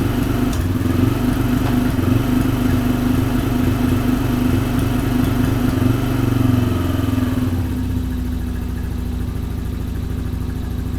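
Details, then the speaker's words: Small carbureted engine, choke completely off, still cold: fast steady idle then drops to a slower even beat near eight seconds as idle is lowered; idle set way too high. "Alright, so if someone is messing with that carb, the idle is set way too high."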